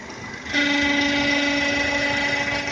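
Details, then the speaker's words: Renault Duster 2.0 facelift at idle with dipstick removed: steady high whistle with sharp ring that sounds like a failed bearing, caused only by air through the open dipstick tube; silent once the dipstick is reinserted. "звук, как у подшипника, который полетел. Вставляем щуп обратно. Тишина."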